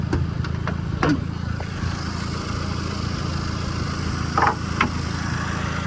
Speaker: it did progressively get a little bit better um which was kind of funny um but it's making all sorts of noise I can hear it